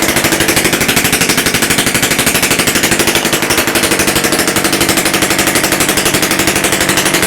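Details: Rebuilt Romet S38 two-stroke moped engine, Almet cylinder, new parts, first start after overhaul without exhaust elbow or muffler: loud, sharp, rapid crackle firing steadily with no misses or surging; normal running.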